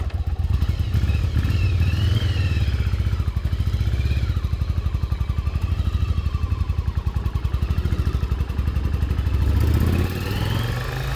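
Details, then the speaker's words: 1996 Yamaha Virago XV750 V-twin, sat about 10 years and now cleaned up, on a test ride: a steady, even, lopey beat pulling cleanly through light throttle changes with no misses or knocks; running healthy. "Pretty damn good. Cleaned up really nice. This was actually super easy to get cleaned up and running great."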